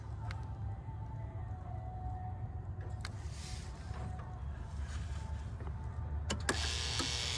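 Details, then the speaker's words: Toyota 2UZ-FE V8 cold start at -6 °C, fully cold engine: steady low rumble with no faint ticking, which normally appears only in extreme cold; owner suspected loose spark plug or oil viscosity; normal cold idle. "but today it's -6° C so I don't hear it it could be also the oil you know viscosity of the oil"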